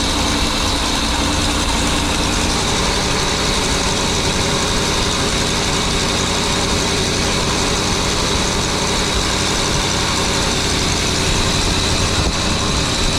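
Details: Birchaven motorhome V8, Quadrajet carb, after 12 years stored, fed from a gas can, radiator cap loose, coolant leaking: smooth, steady idle with even low rumble, no knocks or misses; oil pressure up nicely, normal idle.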